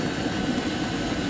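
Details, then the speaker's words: Chinese diesel heater running on paraffin with LCD controller, target temperature set to 29: steady even combustion-fan whoosh with no rattle, fan and pump slowing as temperature is reached before maintenance mode; normal run-down. "but the fan is starting to slow down the pump is starting to slow down don't even hear the pump now"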